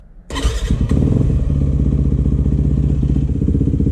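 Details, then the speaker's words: 2008 Yamaha WR250F after carb rebuild, needle back in 6th position, warmed up: single-cylinder revs quickly and cleanly through repeated blips, no bog or stumble; normal crisp throttle response and power. "Much better throttle response and power. No jerkiness when you're on and off the throttle."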